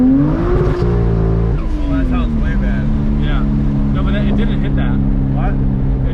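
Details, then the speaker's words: BMW 335i held on the rev limiter: screams up and holds a high drone that sounds uneven; owner suspects old questionable ignition coils or a spark problem causing misfire. "i mean these are old random questionable coils that i grabbed and grabbed a handful of it sounds like a coil issue right oh for sure"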